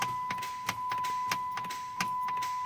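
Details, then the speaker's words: Chrysler 300 (year unknown) with a no-crank no-start: sharp single clicks about three a second over a chime tone, with no cranking. This usually indicates the starter solenoid coming apart or not plunging internally. "okay those clicks guys that is usually that is usually"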